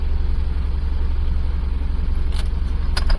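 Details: 2008 Buick Lucerne CXL 3.8L FWD with code P0300, misfiring on cylinders 3 and 6: heavy, uneven, stumbling idle with shaking. A rough-idle misfire; a shared ignition coil is suspected.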